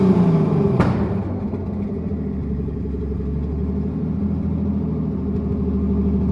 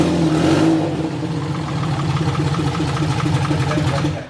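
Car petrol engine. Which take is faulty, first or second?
second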